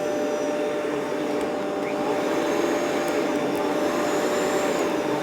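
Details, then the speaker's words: Rainbow PN12 power nozzle (1.2 A) after refurbishment with a new belt: steady, even motor whine with constant pitch and no rattles or slipping; brush roll spinning at healthy speed, much faster than before. "Okay, that seems pretty good [Music] speedwise. Yeah, a lot better. A lot better."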